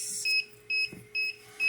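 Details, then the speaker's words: 16-egg incubator sounding four short high-pitched double-tone beeps, roughly two per second, because its temperature dropped below the 38-degree setpoint; a low-temperature alarm that stops once it warms back up. "and you hear that little beeping that's because the temperature went down and see that's just don't want you to tell you that you're not at 38 degrees and it's annoying but it'll go off because it'll raise itself back up to 38 degrees"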